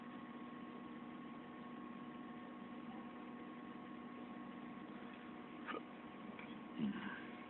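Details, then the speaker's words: 1993 Mazda Miata, 141,705 miles, after Walbro fuel pump replaced old Denso pump; quiet steady even idle with no surging, unlike before the repair. "I know back to normal it didn't do that surge thing the day last time"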